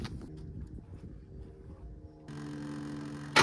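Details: 2003 Ford F-250 7.3 turbo diesel Powerstroke, about 383,000 miles, first start after sitting a year and a half. Brief crank, then it catches and settles into a steady diesel idle, running pretty smooth with no misses. Normal start and idle.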